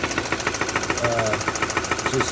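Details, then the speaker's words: 2016 Kia Soul+ with 161k at idle: a sharp, regular knock, roughly eleven or twelve hits a second, seemingly from down low near the end of a shaft; no better in drive, sometimes irregular, a major issue. "not as regular as this but this is very sudden very powerful and of course it doesn't get any better when it's in drive I did manage to limp it home but obviously there's some major issue here"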